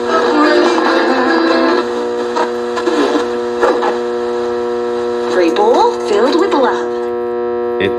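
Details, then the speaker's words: Blaupunkt HCX-150 cassette radio alarm clock on 240V via step-up converter: alarm set to FM radio works but a steady low buzzy hum drones under the radio audio; the alarm buzzer tone bleeds in, so auto mode is retried. "So, it did work when I had an alarm, but it had that weird buzzy sound. Um, which is weird."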